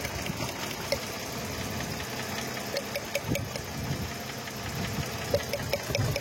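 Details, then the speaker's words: Mercedes 663 AMG six-cylinder V6 with no pickup and misfiring: lumpy idle with irregular stumbles and shake; one cylinder head's three coils dead, nearly all coils bad and all need replacing, a checked spark plug also bad; misfire at idle. "তো friends আমরা check করে দেখলাম যে coil খারাপ আছে এটার তিনটা একটা হেডের পুরা কাজ করতেছে না সবগুলা কয়েল প্রায় খারাপ সবগুলোই চেঞ্জ করতে হবে এখানে"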